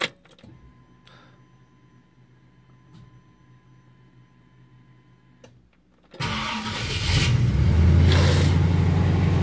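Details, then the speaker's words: Ford Galaxie with a Holley Sniper fuel injection, restarting after being run: quiet for six seconds, then bursts into life and settles into a rough, uneven idle; hard start, cause not yet found. "but let's see what happens when we start it back up yeah still struggling"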